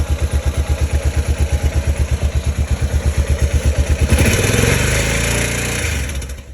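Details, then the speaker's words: 2005 Honda Rincon 650 ATV after timing chain tensioner replacement: even steady putter at idle, then a clean rev that rises and settles with no rattle or tick, unlike before; sounds healthy. "now let's start it compare it to what it was before [Music] sounds smooth none of that crazy rattle at the day"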